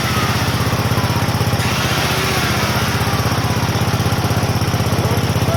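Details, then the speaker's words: Onan generator, unused since around 1983–84, running with a drill and a second load plugged in: a crisp, even single-cylinder thump holding speed steadily. It runs healthy under load but uses a lot of fuel. "this thing is thirsty but she works good"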